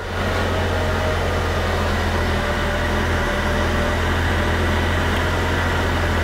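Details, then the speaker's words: Jeep 4.0 after oil pan removal and new gasket to fix low oil pressure: steady, even idle with no top-end rattle or tapping, about 60 lb oil pressure now; normal idle after repair. "oh that's much better and we've got oil pressure wow that sounds much better"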